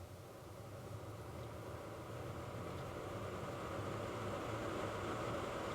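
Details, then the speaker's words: Ford Flex HVAC blower motor after blower motor resistor replacement and wiring repair, key on: smooth fan rush building steadily, no rattle or squeal, cycled full blast, middle and low; normal blower operation. "i hear it running already all right so there's our full blast there's about middle and there's low"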